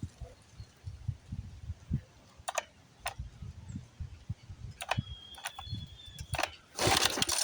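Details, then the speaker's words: 1976 Johnson Seahorse 9.9 outboard, 30+ years stored, choke on, in neutral. Uneven pull-starts with a rattling rope and short sputters that never catch; owner suspects fuel starvation from the carburetor float, and the carburetor is pulled next. Choke rod found out of its slot. "okay I don't think she's getting fuel pump it up some more carburetor float guaranteed try it again"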